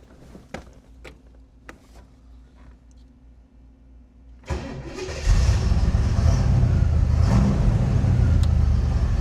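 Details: 1967 Chevrolet Camaro Convertible V8 being started during an inspection: a few clicks, then a brief crank, and it catches right away and settles into a steady, even, loud idle; it starts up nice and easy.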